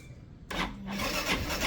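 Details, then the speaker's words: Motorcycle hard to start in the morning, battery at 12.18 V dropping to about 9.8 V while cranking: sluggish rasping crank, about three turns a second, never catching; weak original battery needs replacing. "Napansin niyo umaabot siya ng 9 vols. 9.8 9.80 something. Ayan oh. Kita niyo? So pag ganun na 'yung mga baterya niyo pre, kailangan ng palitan."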